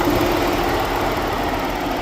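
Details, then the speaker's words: 2013 Ford Edge with an overheating problem, after replacing both radiator fans (the driver's-side fan had failed and the passenger-side fan was likely going bad): both fans now run with a strong, steady rushing hum and no rattle or wobble, moving far more air. "All right, we got them both running now. And we are by far moving way more air than we were before. I have to go back and listen to the first part, but man, you can hear those things humming."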